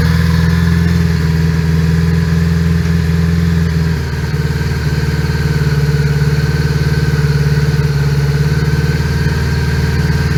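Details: 1980 Honda GL1100 Gold Wing on a cold start at about 3°C, carbs recently overhauled and suspected out of sync. A rough, unsettled idle with an uneven, lumpy beat and a wavering pulse, dipping around four seconds: rough idle.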